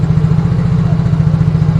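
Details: Yamaha Mio Fino 125 scooter after fixing a no-idle problem by setting idle via a wedged hose at the throttle body: low, even putter with regular firing pulses, holding a steady idle unaided; idle now normal.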